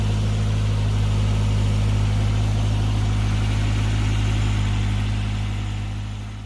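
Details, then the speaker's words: Toyota AE92 with 20-valve Blacktop engine, cold, after fitting the original 16-valve pump to fix a tick: smooth, even idle with steady low hum, no ticking or tapping; healthy. "This is a cold engine at the moment. Yep, no tick. Awesome."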